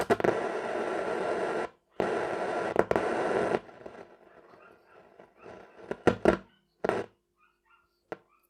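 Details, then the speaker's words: Telefunken Opus 8 tube radio drawing 250 mA: loud hiss that cuts out abruptly, then scattered pops and crackles. Crackling audio from dirty band switches. "that doesn't sound good does it still only drawing 250 milliamps so giving this the these switches are dirty"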